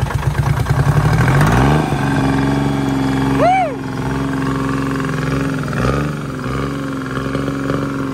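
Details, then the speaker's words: Old Detroit Diesel three-cylinder in a dragline crane abandoned in the woods 20+ years, first start after draining water from fuel filter: brief rev, then even, steady drone with no misses, firing on all three cylinders. "uh to me it sounds good i don't know oh yeah it doesn't sound bad at all it's hitting on all three"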